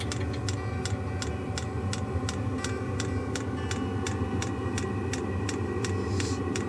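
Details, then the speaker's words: Kroak diesel air heater for a camper van just started with the thermostat set to about 15–16 °C: crisp, even fuel pump ticks about twice a second over a steady exhaust rumble; normal, reasonably quiet pump noise. "la pompe qui fait un petit bruit mais c'est raisonnable quand même raisonnable je pense que dans la soute on l'entendra pas trop"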